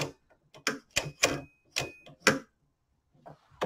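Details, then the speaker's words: Lee Auto Breech Lock Pro reloading press, shell plate spun counterclockwise by hand to tighten: crisp clicks about one per second, normal indexing detent action. "now from there we'll just take the shell plate and spin it counterclockwise to tighten it down as I do that you can hear the indexing detent clicking"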